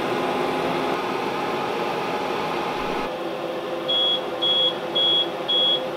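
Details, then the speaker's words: APC UPS (XL version with three fans including a 120 mm) in a DIY 48 V powerwall, at switch-on: loud fan rush, then a high alarm beep repeating about twice a second. "I know that sound beeping has got to go right now"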